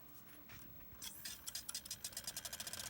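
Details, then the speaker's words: Badly corroded Sega Saturn Model 1, disc spinning after the spindle was reseated and raised. Faint rhythmic swishing rubs, about nine a second, show the disc wobbling; spindle suspected bent or set too low. "so I don't know if you can hear that but the disc is definitely wobbling so I mean that tells me that this spindle is probably a little bit bent"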